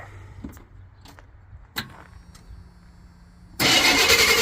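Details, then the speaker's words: 1987 Chevy K20 3/4-ton plow truck, 350 small block, automatic, sitting for years, now on a good 12-volt battery: a few quiet clicks then a brisk, strong starter crank; alternator pulley visibly wobbly; normal cranking. "oh yeah draw crank now the alternator pulley looks like she's had a few too many that thing is Weeble wobbly"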